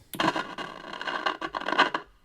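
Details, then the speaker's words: Vintage Realistic Pro-45 "Patrolman" police scanner bought at auction, first power-up, antenna not yet plugged in: irregular bursts of hissing crackle right after switch-on, which shows the receiver's amplifier and audio stage are working. "right I hear crackling that's actually a good sign that means that the amplifier and there is working"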